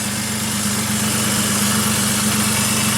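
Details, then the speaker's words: Toyota 1JZ VVTi swapped into Nissan S13, turbo, idling with the intercooler pipe off: steady hum with turbo spool and a constant airy hiss from a vacuum leak. "You can hear the turbo spooling because the intercooler pipe's off. Listen. Hear an vacuum leak somewhere."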